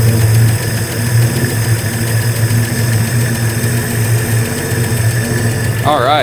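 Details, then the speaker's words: 1967 Ford F-100 with swapped 240 inline-six, 3-on-the-tree manual, just revived: steady low idle, mostly smooth with an occasional uneven beat, a slight miss; timing not yet checked, cause not pinned down. "Well, hopefully you can hear that a little bit better, but it really is running pretty smooth. I think we've got a little mist to it still."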